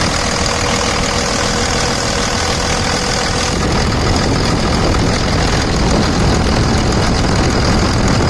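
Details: 2000 Dodge Ram 2500 Cummins diesel, about 210,120 miles, AC compressor pulley bypassed with a 65-inch non-AC serpentine belt: steady, even idle clatter, no knocks, squeals or belt chirp, windy background; sounds healthy.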